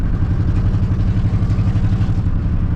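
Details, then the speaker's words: Junker (vehicle unspecified) in drive or reverse, dragging the brake and barely rolling at low rpm: heavy uneven throb and clatter, driveline shaking up and down from driveshaft and slip yoke to engine; trans mount replaced without effect, cause not found. "So the shake really only happens at low RPMs. It's really bad when you put it in drive or reverse and you're just kind of dragging the brake and you're barely rolling, and it shakes up and down real bad."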